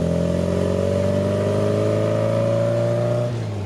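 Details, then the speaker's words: 1974 MGB on its first road drive after a full home-built engine rebuild, at operating temperature and holding temp. It pulls under load with a smooth, steadily rising note and lifts off cleanly with no knocks or rattles, so acceleration is normal. "Like, the fact that we hand built this engine in our backyard and it's just propelling us. It's what's moving us, and it sounds so great."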